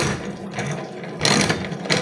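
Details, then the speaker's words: Honda Beat carburetor scooter, CVT side, with the wheel spun over the running engine. Harsh, gritty grinding swelling in loud surges. Worn, broken final-drive bearings. "ya teman-teman Suaranya sangat terdengar kasar sekali ya [Musik] ya sangat ekstrem ya hehehe"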